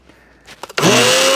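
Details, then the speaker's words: Kenwood BLP41 personal blender: after a few clicks the motor snaps up to speed within a split second and settles into a steady high whir with mild vibration buzz; normal run. "That sounds as good as I expect these things to sound. They always have a bit of a vibration to them, but that seems to work fine"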